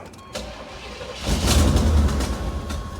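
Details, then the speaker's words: Salvage-yard square body C-10 truck cranking steadily at about 3.5 turns per second without firing; fresh gas being drawn from the tank with carburetor float bowls not primed, owner suspects the fuel pump may not work; it then starts but the choke keeps opening. "Come on. Come on. Come on. Of course, a fuel pump might not work. Didn't think of that one."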